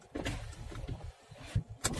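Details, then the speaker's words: Opel Cascada convertible, petrol, automatic, right door: power window motor running with uneven rattly clunks as glass moves, noise also heard over bumps; cause found as loose screw inside the door panel: door window rattle. "tiene un ruido que se escucha cuando andas con el coche. Y pasa por un bache."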